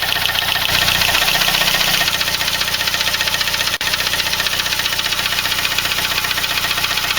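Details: Saab 9-3 with B205E engine at idle: steady idle with a hissy, busy top end and fast regular ticking; engine noise, cause not pinned down.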